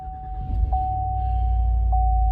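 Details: 2015 GMC Yukon Denali after replacing a failing starter (random no-start, some corrosion on the connection): short crank, engine catches and settles into steady even idle under a constant chime; clean healthy start.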